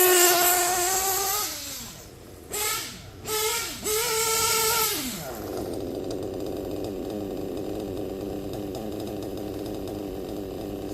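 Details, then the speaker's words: Novarossi Roma 25 nitro RC engine in a Tamiya TRF 801XT, retuned from two-stage to single-stage idle with 1/8 turn on the high-end needle in cooler weather; clean throttle blips and a steady high buzz, running well. "pretty good to me and only thing I had to do was 1/8 of a turn on when a high-end needle"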